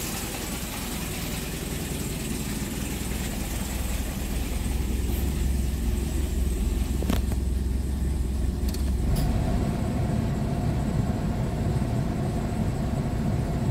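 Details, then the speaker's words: Hyundai Getz before repair, lacking power and misfiring: a rough, uneven idle with a loose knocking beat of about three or four per second. A loose crankshaft timing sprocket spoils injector and spark timing; it was later fixed by welding. "Tapos pinakaano maingay ang makina agatak. Ganito yung tunog."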